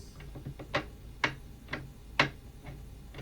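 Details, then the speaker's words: Gliding rocking chair arm under downward force gives uneven sharp clicks and knocks from a worn ball bearing; silent when pressure is applied upward. "We can feel and hear the wear of the bearing in this arm when we apply force downwards,"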